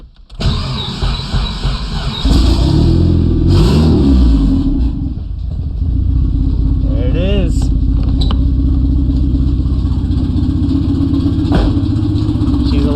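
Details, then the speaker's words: K-swapped Mazda B2300 truck first start after a K-Pro ECU install and calibration: cranks, catches and revs hard, then settles to a loud raspy idle because the exhaust system is unfinished. "oh i really need to get the rest of that exhaust fix because this is really loud"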